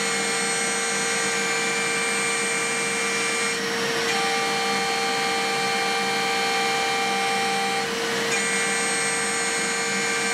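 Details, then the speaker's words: DIY milling machine with a 4-pole spindle cutting C45 steel with a solid carbide HPC cutter: shrill, steady squeal with shifting upper tones, chatter during climb milling; conventional milling at 1700–1920 mm/min runs smoothly. "只有同步铣削时铣削过程中才会出现振动。"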